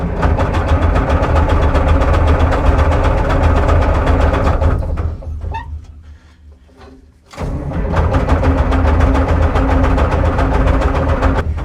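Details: Euclid 74TD dump truck, turbo Cummins diesel, 24 V batteries boosted, fuel gravity-feeding to the injector pump: runs rough and loud, dies after about five seconds, then catches again. Owner suspects a faulty electronic fuel cutout on the pump.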